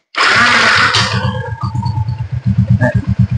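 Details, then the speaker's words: Yamaha Exciter 135 that would not electric-start, tested with a direct jumper across the green-white wire found broken inside. Brief whirring crank, then the engine catches into an even, steady idle; the starter works. "Như vậy là như vậy là OK các bạn nhá cái dây màu xanh sọc trắng nó bị đứt ngầm tôi câu trực tiếp đây để thử luôn để cho nó ra bệnh các bạn nhá"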